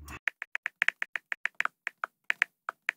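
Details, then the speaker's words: 1975 Datsun 280Z after full rewiring with LED turn signals and load resistors added; left blinker on, flasher relay now clicks (it did not without resistors), sharp ticks every 0.15–0.3 s but uneven cadence, still misbehaving. "you can hear the click coming from the relay or the flasher, so you know something's working, because on the first try without the resistors, that did not click."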